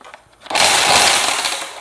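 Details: Black and Decker cordless trimmer about seven years old, running after its battery fault was repaired and the line respooled: a click, then a high, even motor whine under light cutting with no stutter; normal running.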